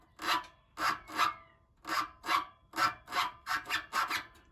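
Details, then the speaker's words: 2017 Renault Megane 1.6 dCi, engine off, rear silencer rocked by hand: rubbery squeak with each push, about ten in under five seconds; dry, worn rubber exhaust mount, then sprayed with lubricant. "right so here's that squeak on the exhaust so we got the back boxler up there there that mount and we just wiggle him let him"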